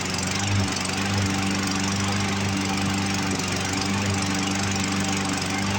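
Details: Roadside-found Poulan Pro push mower, Briggs & Stratton 550EX engine, running on its own from tank after carb cleaner: steady drone that stumbles and skips now and then; running rough, carburetor needs removal for a plugged passage.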